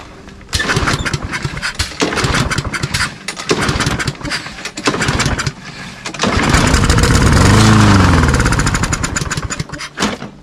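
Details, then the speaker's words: Toro Recycler walk-behind mower, Briggs & Stratton engine with plastic carburetor, choke open, on starting fluid: cranks, catches and revs briefly, then dies within seconds; compression and spark good, cloudy water-contaminated gas, clogged carb jets. "Okay, started and died. So that means that the compression and the spark is good."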